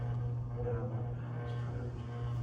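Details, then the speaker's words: Hunter Mill Valley ceiling fan with spinner motor design, on medium speed: a steady low electrical hum with a faint higher tone, from the motor and possibly the light; the fan otherwise runs normally. "The noise is, I mean, if there was no other noise in here, you would definitely hear the motor humming. That's the thing with these spinner motor designs."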